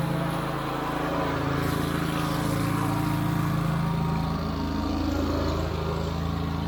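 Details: Wright Stander stand-up mower small single-cylinder engine after carburetor replacement (it previously died unless choked): smooth, even steady drone with no stumbles or surging, running well; tank fuel grommet still leaking.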